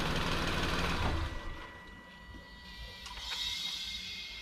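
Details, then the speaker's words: 2012 Nissan Latio (Versa) with N17 3-cylinder engine, rough idle and heavy vibration: soft airy hiss like air escaping after shutting the engine off, getting louder over days. "So that's the sound that she said that she's hearing, like eggs escaping, right?"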